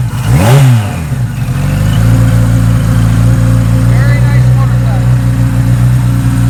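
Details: 1976 Kawasaki KZ900 with a Mr. Turbo package and a Bendix carburetor, fuel on reserve; the engine catches with a short rising rev, then settles into an even, steady idle with no misses or knocks: normal start and idle.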